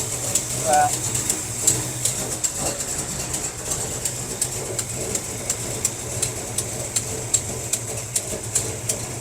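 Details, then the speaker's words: 1957 Chevy wagon big block, barn find, running for the first time in 20 years after carburetor work, with the fuel pump working: a rough idle with sharp, regular ticking of about two to three per second, from an exhaust leak. "Definitely got an exhaust leak somewhere. So it's idling pretty good. Fuel pump is working."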